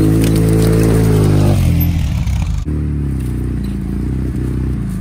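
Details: Polaris RZR just after a head gasket replacement, first start-up: the engine drone falls away as the throttle opens, then stutters and sags instead of picking up, cutting out under gas. Owner suspects the mass airflow sensor, throttle position sensor less likely.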